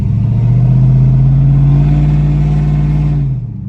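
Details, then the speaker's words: Cammed LS Tahoe that missed and struggled at quarter to half throttle (plugs, wires and O2 sensor already done), muffler fallen off so very loud, on the test drive after repair: deep exhaust pulls hard and evenly with no stumble; smooth acceleration. "All right, let's go see if I fixed it. She's running pretty smooth."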